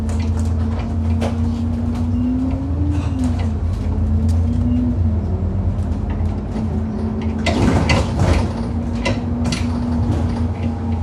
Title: 10662 YX66 WDE making a loud knocking noise over potholes on the 27 service to Wombwell